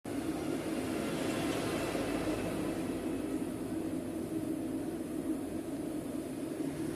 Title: Electrolux professional W365H Exacta control - Very unbalanced spin with bad bearings!